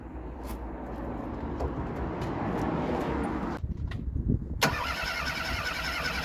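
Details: Broken, abandoned Ford Fiesta Mk3 just after fitting a new ESC ignition module, following carburetor rebuild: starter cranks at a steady rhythm for several seconds but the engine never fires; crank sensor to be replaced next.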